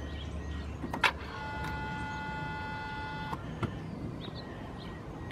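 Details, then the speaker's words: 1997 Mercedes-Benz E320 at 119,000 miles, unrun for nearly a year, cranks but won't start; new camshaft position sensor fitted. At key-on, a short steady electric hum from about 1 to 3.3 s. Normal fuel pump priming. "You just heard the fuel pump and the fuel system activate, and"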